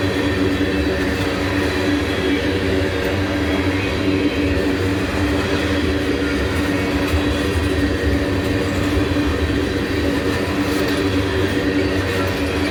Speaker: If you hear how noisy the wheels are, that's cuz they grind these rails down. That leaves little grooves in. That's why the rails ain't huming. They're growling.